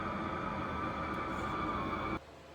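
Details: Newly installed diesel heater in a Leyland DAF T244 truck camper, first run after initial smoke cleared: steady even hum and whir, no pulsing or sputter; reaches temperature, working normally.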